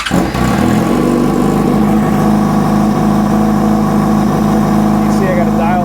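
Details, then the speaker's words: 2005 Yamaha R6 four-cylinder idling on vacuum sync gauges before adjustment: lumpy, slightly uneven pulse with steady hum; throttle bodies one and two close, three and four far off, banks not too bad. "now you guys can see that throttle body one two are really close three and four are pretty far off and the bank the banks aren't too bad"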